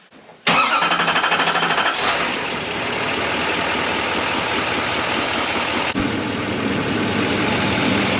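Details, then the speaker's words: GMC 2500HD diesel after oil change and fuel filter change, fuel pump cycled to purge air: quick crank, fires right up, settles into even diesel clatter at idle without stumble; normal start, checking for leaks. "Let's fire it up, make sure we ain't leaking nothing."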